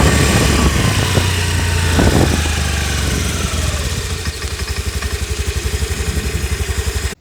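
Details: Honda Activa 125 BS6 scooter idling with a steady low thump about four times a second from the lower drive side; cause not confirmed.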